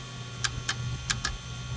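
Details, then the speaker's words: New Holland RG80 motor grader that won't crank: four sharp dry clicks over a faint hum, starter never turns; the dirt-covered start relay is clicking, not the solenoid; no crank. "So that means that the uh this is not connected. So it's not the solenoid. It is this relay that's clicking right here."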